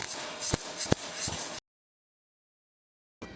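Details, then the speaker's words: ARCPEX MIG200 MIG welder listening test: harsh, hissy arc with loud sharp cracks like frying bacon too hard, meaning voltage too high for wire speed; fix is to turn voltage down. "How do you know if voltage is right? Go back to the listening test. Sharp spot of frying bacon too hard."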